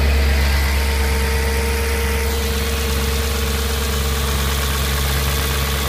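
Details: Steady V8 idle with a faint, loosely regular beat about three per second over a deep hum; some unidentified engine noise at idle, cause unclear.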